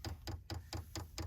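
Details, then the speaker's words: 5 kW Chinese diesel heater being installed in a 2023 Ram ProMaster van, manual fuel priming to purge air from the line: sharp, even ticks about four or five a second; the dosing pump is priming normally. "we're letting the air bubbles you can hear the pump ticking away"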